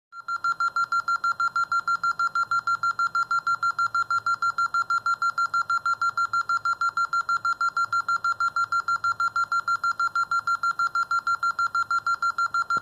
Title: Alarm 38 beeping